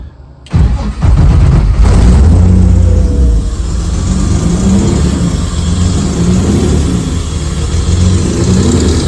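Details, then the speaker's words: Porsche 944 racecar with swapped Honda J32 engine, first start on base tune, exhaust unfinished and no O2 sensor yet: brief crank, catches and settles into lumpy, uneven burble at idle, running very rich. "And she runs. Woo! She is rich. Very rich. But it runs."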